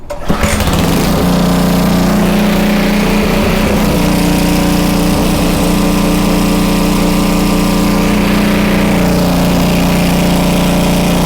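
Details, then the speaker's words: Homelite 2500 W flathead generator, repaired (stuck valve), after slight speed adjustment via dial: fires up and settles into steady constant-pitch drone, no hunting; governor holds frequency at 60 or 59.9 Hz, voltage slightly high. "Okay, it literally stayed at 60 or 59.9. You really can't get much better than that."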